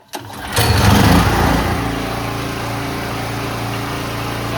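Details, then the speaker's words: Generator that sat 5+ years, carburetor tuned, fuel on, choke on: engine catches with brief surge then settles into steady, even drone at governed speed, about 3,600 RPM, no hunting or misses; running healthy. "That seems better. Check it out. I got it tuned up. Should be roughly 3,600 RPM now."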